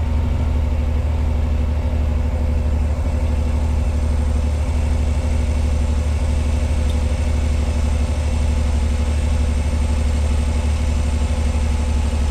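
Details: 1986 Pontiac Fiero SE V6, automatic, with a known high idle problem: just after a cold start it idles at 1,220 rpm with a smooth, even, noticeably fast hum and no misses or knocks, slowly coming down as it warms.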